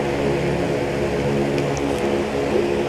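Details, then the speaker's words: Asahi electric fan running at steady speed with an even hum and low whirring drone, no knocking, after the rear screw hitting the shaft end was adjusted and replaced with a shorter one. "ko lang ng konti ang turnilyo nawala po yung ingay nawala po yung lagatok tagaktak"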